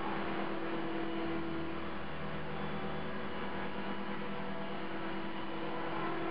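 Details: CopterX RC helicopter after a crash: steady droning buzz over the motor whir at constant speed with blades out of track; owner suspects bent blades, hopes the blade holder or feathering shaft isn't bent.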